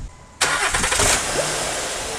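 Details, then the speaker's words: 2009 Honda Pilot 3.5L V6, first start after timing belt replacement: short crank, catches at once and settles into a steady, even idle with no knocks or slapping, confirming timing is correct. "all right sounds good if your timings go wrong in there should happening when you crank it so at this point here timing is right"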